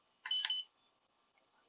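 A short burst of high, shrill beeps, then near silence with no motor spin-up; the drone is throwing warning tones and won't arm. Cause suspected, not confirmed.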